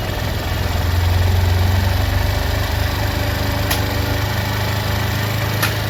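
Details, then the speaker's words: Motorcycle, engine warmed about 5 minutes, during carburettor mileage tuning with RPM (idle) screw tightened: steady fast low putter, even firing, no knock or misfire; idle set a touch high. "RPM इतना आप लोग रखें कि आप खुद भी मतलब इसका साउंड सह सके इंजन की जो साउंड है आरपीएम है वह आप सहने तक ही रखें ज्यादा स्पीड नहीं रखना है ज्यादा नहीं बढ़ाना"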